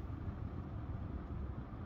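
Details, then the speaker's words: HVAC air handler supply vent after airflow/fan speed was set correctly, 70°F home and 49°F supply air (about a 21-degree split): low, even rush of air with no roar or whistle; normal quiet airflow, earlier loud sound gone. "airflow on this vent is great no longer have that loud sound"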